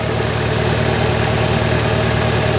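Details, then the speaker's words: Toyota Dyna Rino 115 PS diesel truck: the positive cable is disconnected and the engine keeps a steady, smooth low idle with no stumbles or knocks, showing the alternator is charging. "Sekarang kita coba lepas kabel positifnya ini ini kita lepas mesin masih"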